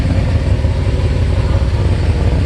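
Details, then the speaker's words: 1988 Mercedes 560SEC with aftermarket catalytic converters at idle: deep, uneven puffing rumble, louder and rougher than a sealed system; the exhaust is blowing, suspected leaking at a pipe junction, needing repair. "Exhaust needs attention, of course, because it's blown somewhere. Let's take a look. Okay, I see that you have a pipe. I think it's leaking right in the junction there somewhere."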